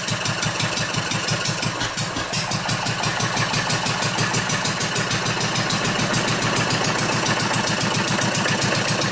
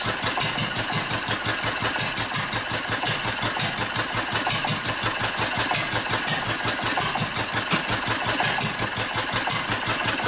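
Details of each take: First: Old Wolseley sheep-shearing stationary engine from Birmingham, England. Strong, steady firing beats, roughly three a second, deepen and bark harder as the flywheel is pushed down to load it. Pulling cleanly with lots of torque. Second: Old Wolseley stationary engine from Birmingham, England, built for sheep-shearing, with its fuel shut off: sharp exhaust pops about once a second with uneven gaps and skipped beats as it starves of fuel and goes hit and miss.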